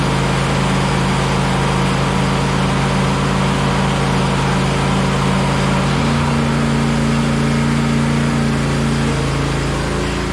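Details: John Deere LA135 SE lawn tractor run test during summer maintenance; even, steady single-cylinder drone holding one speed, no knocks, misses or rattles; normal running.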